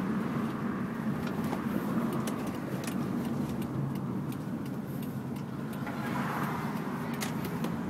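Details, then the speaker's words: Mitsubishi Galant VR4 test drive with window down to hear outside: steady engine and road rumble with tyre and wind noise, no knocks, bangs or squeaks; normal driving. "Got the window down so you can hear the outside, so you can hear there's nothing wrong."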